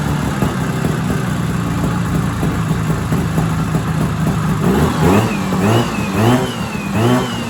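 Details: 1970s Sno-Pony snowmobile, JLO 340 twin two-stroke, sat 20-30 years, now starting to pull fuel, warm: steady buzz then short clean revs settling back, no knocks or misses; normal running.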